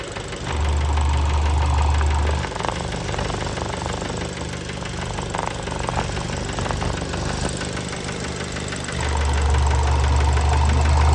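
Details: Fiat Bravo 2 1.4 T-Jet 150 HP, 215,000 km, after recent maintenance, idle recorded close to the engine: deep, regular knock about three times a second under the engine note; worn rod bearings, cause unknown, car scrapped.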